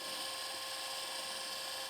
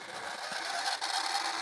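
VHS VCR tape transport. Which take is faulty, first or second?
second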